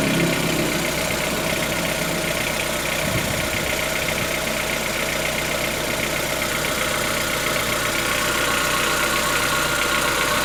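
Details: 2014-15 Chevrolet Onix 1.4 on gasoline, cold start: fast light ticking two or three per second over idle hum; owner suspects lifter tapping inside engine, not injectors, present since new, lasting about 10 minutes and worsening yearly; dealer calls it normal.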